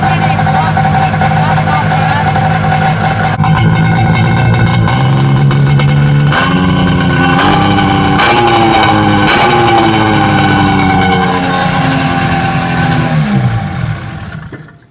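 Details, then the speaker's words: Snowmobile with homemade exhaust can; loud engine drone under load with a thin whistle that rises and sags with throttle and dies on let-off; exhaust whistle under throttle. "but it's not the same effect like when you have continuous throttle you get that whistling sound then when you let off and it stopped"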